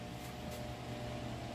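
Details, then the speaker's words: Tron desk fan on 110 V, selector at 110, run at maximum speed: steady low hum with faint thin whirr and little air, turning slow and weak; suspected bad capacitor or shorted motor, not confirmed. "tá vendo ele tá bem fraco vou mexer aqui ó mais ainda vamos ver se este problema dele aqui galera pode ser capacitor ou um outro problema"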